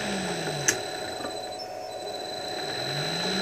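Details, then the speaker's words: 1.5 HP single-phase 220V motor converted to run three-phase from a 1.5 kW VFD, with the start-cap switch clicking out; a faint hum ramps down and climbs back as it jogs from reverse to forward, running smoothly with no growl. "they're connected to my three phases basically coming off the VFD I thought give it a try and sure enough it works"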